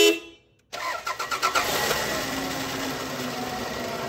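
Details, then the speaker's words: Toyota Camry four-cylinder after timing belt replacement (was noisy on start before): cranks briefly, catches cleanly and settles into smooth, even idle without ticking or slapping; normal start and idle. "गाड़ी की बहुत आवाज़ करता था अभी orange घंटे में बेल डाला है और अभी इंशाल्लाह बिल्कुल ठीक है"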